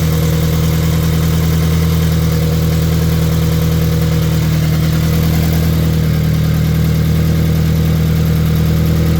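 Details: Scion FR-S (GT86/BRZ) boxer right after installing an equal-length header, started to check for exhaust leaks: steady, even low idle with a smooth burble, no ticking or puffing; exhaust sounds sealed, normal idle.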